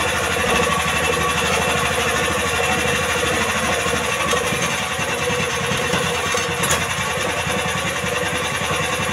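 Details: Jarwo Crown rice transplanter single-cylinder engine, previously hard to start, after carburettor fuel-screw adjustment; steady chugging beat holding a settled speed without stumbles, now running and revving evenly.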